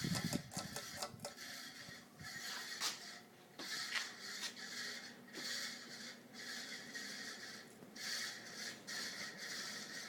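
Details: 52-inch second-generation Fasco Charleston ceiling fan, stack motor, on high: hissy, rattly whir with uneven surges; owner suspects the bearings or the capacitor, cause not confirmed.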